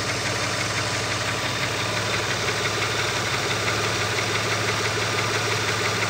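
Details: Opel Omega B at steady idle with light regular tapping about three times a second from the exhaust camshaft on the second cylinder head; exhaust camshaft knock.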